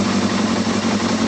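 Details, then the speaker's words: Yamaha Thundercat motorcycle, reassembled after strip-down, first start on choke inside a polytunnel: smooth, even idle with a steady fast beat and no knocks or ticks; owner says it sounds sweet with hardly any engine noise and no leaks. "That sounds sweet now. I can't even hear no engine noise on that."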